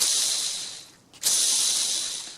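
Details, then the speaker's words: Hand-spun 6805 bearing from a Shimano Tiagra BB-RS500 bottom bracket on a 2016 bicycle, held near the mic. It failed after about 200 hours in winter rain and snow and was nearly seized on removal. Dry, gritty hiss fading as it slows: an atrocious, failed bearing. "In short, atrocious. So this is a failed bearing."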